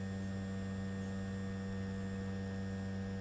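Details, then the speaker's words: Zenith 4-B-231 radio synchronous vibrator after rebuild with new base replacing deteriorated foam rubber, during run test for seizing: steady low fixed-pitch buzz, no stutter or dropouts; still humming away, running smoothly. "still humming away"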